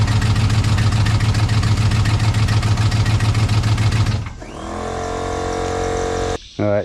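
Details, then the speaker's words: Chevrolet Silverado after a transmission install: heavy rhythmic knocking at idle, about 3.5 per second, stopping at shutoff. Under-torqued, loose bolts let the flexplate wobble and knock. "Yeah, right down underneath there. You can see the flywheel doing this number just just wobbling."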